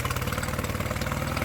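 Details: Mercury 9.9 outboard bought used for £120, which had not run, back after 8-9 weeks of repair with parts from abroad; test run: quick, even putter with steady firing, no misses or knocks; normal healthy idle.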